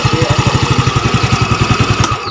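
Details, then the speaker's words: Yamaha Mio Gear scooter after repair: knock first blamed on the block was loose magneto rivets, re-pressed, valve seal also replaced; even putter about eight pulses a second, no extra tapping, then shutdown: normal idle. "Tahimik na siya. Wala na yung rat, yung parang pinupukpok sa loob."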